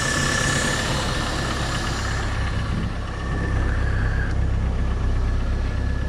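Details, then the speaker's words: 2.2 L Chevy S10 during timing chain replacement, at idle with intake suction noise: light quick ticking keeping pace with the engine; not the timing chain, sounds like lifter tick but persists with a brand-new head, cause unclear. "i don't know if you guys can hear it other than the uh the suction noise from the intake but there's a ticking noise that was what i was thinking was a timing chain but i guess it's not"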